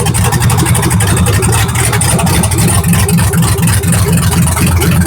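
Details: Truck after injector install, starting again: very loud, raw, choppy rumble at a steady idle with no muffling, running with no exhaust fitted; it needs an exhaust.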